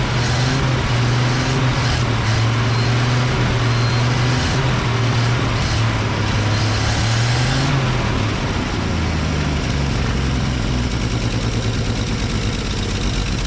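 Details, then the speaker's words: Old Chevy flatbed truck "Fred", after finding a pinhole in the fuel line between tank and fuel pump, ethanol gas, recorded outdoors: low, loping, uneven idle never settling smooth; carburetor not idling well. "yeah that uh carburetor's not quite Island real good"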